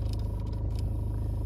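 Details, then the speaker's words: VW Passat B6 3C with Climatronic running: low, fluttering hum under the dash from a stuck V159 air-flap servomotor that won't open or close and has a worn potentiometer; passenger footwell gets no heat. "sub planșa de bord să știți că e o problema cu acest motor aș vrea 159 sau celelalte ca mai sunt Inca vreo trei sau patru și atunci va trebui sa demontati schimbati potentiometru"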